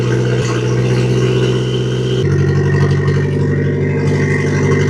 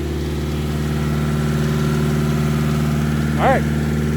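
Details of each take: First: Nissan S13 with SR20 engine misfiring and breaking up: uneven, lumpy idle, then choppy revs that stumble and break up instead of climbing; fresh plugs fitted, strong fuel smell, owner suspects failing coil packs, new coils on the way. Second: Nissan S13 with SR20 after chasing a misfire with fresh spark plugs, just started, cold start phase: even, steady idle hum with smooth low beat, no stumbles or skips; normal idle.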